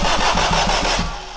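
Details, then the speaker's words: Turbo AWD Acura RSX (DC5) on a standalone ECU: quick regular cranking beat about six a second, winds down without firing; crank no start. Owner suspects the tapped ECU fuse drops 12 V while cranking, shutting off injectors and spark. "that I have tapped into for the ECU it's losing its 12vt as it's cranking which is basically turning off the ECU so why would it fire the injectors or sparker do anything like it's supposed to"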